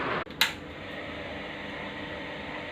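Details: USHA ceiling fan after reassembly, repaired for humming and sticking caused by worn, loose top and bottom bearing seats: after one brief knock, a quiet steady whir with no hum, scrape or wobble, spinning smoothly.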